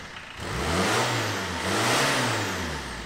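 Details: Astra van diesel after pump adjustment, pump part held with cable tie: two clean rises in revs from idle that pick up quickly and settle back evenly; now revs freely, normal.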